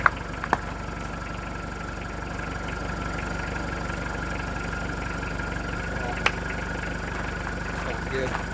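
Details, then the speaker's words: Neglected project van that previously overheated and lost its coolant, battery charged overnight, started in the morning: low steady idle with even beat, no knocking or misses; sounds healthy, still needs oil change and transmission fluid. "The battery charged overnight without issue. The van fired right up. It sounds healthy."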